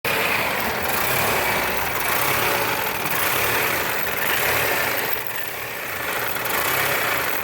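Engine idling with a wavering, uneven note and periodic dips in speed, sounding rough rather than smooth and steady.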